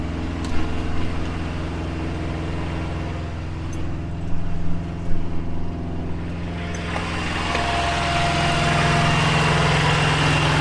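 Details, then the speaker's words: Expedite semi truck diesel engine running after service, with thick brake pads and coolant still fine: steady low rumble with an even beat, no knocks or rattles; sounds like it's running all right. "still sounds like it's doing good like it's running all right"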